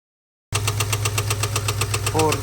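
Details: 2022 Ford F-250 7.3L at idle: sharp, evenly spaced ticking knock keeping time with engine speed; teardown found a stuck failed hydraulic lifter, broken lifter roller and damaged camshaft.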